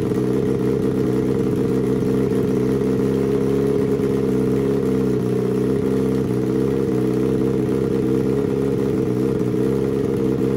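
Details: Turbo Suzuki Hayabusa engine in home-built car, Power Commander/AutoTune tuning at 2,000 ft: steady, even idle with settled low burble, no hunting or stumbling, after fuel leaned for a smoother idle, left slightly rich for sea level.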